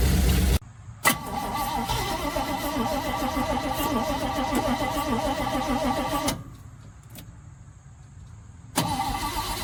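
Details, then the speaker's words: 1971 Chevrolet C40 truck with manual choke, first start after hours of carb cleaning and reinstalling the rotor/cap: cranks, fires and holds a fast, busy idle well above normal before cutting off; choke needs adjusting, idle very high. "Choke needs a little adjusting. Idle is very high. After the marathon cleaning, the carb is more effective."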